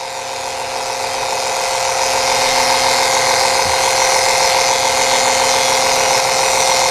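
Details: Electric transfer pump refilling transmission fluid in a 1990 Honda CRX transmission: smooth steady hum with even hiss that builds slightly and holds; pump running normally and moving fluid.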